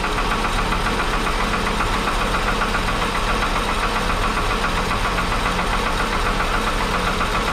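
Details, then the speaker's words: 1961 Ford Falcon Delivery cold start on oil later found full of gas with no viscosity; fast light ticking three to four a second over rough idle; owner suspects a lifter, poorly lubricated, before oil change. "i need my key as it's cold i definitely hear something it very well could be a lifter"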